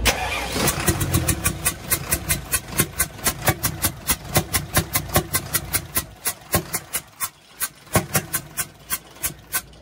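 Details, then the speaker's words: UD Nissan PKD 411 NE6 six-cylinder diesel with intake pipe removed: loud regular chuffs about 2.5 per second puffing back through the open intake, not from the exhaust; intake valve leaking. "Intake का pipe खोल के यह जो आवाज आ रही है यह वाल लीक हो चुका है वाल कौन सा लीक हो गया है इंटेक का वाल लीक हो गया है"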